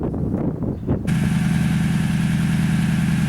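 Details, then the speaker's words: 2010 Toyota Tundra 5.7L V8 just after installing a Flowmaster 717786 FlowFX exhaust, still on fast idle, checking for leaks: after a pause it fires into a steady, deep, even low rumble, no ticking or puffing; no exhaust leaks, normal idle. "Okay, I don't know how well this video camera picks up sound, but it has a very low rumble at idle, and of course it's still on fast idle, but has a very low rumble."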